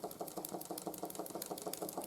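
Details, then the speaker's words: 1914 Ernst Plank 114/1 vertical steam engine after running gear rebuild (crank web): light quick knock each revolution still present but much quieter than before. "you can hear the knocking is still there try and fix that with but it's a lot quieter now than it was before"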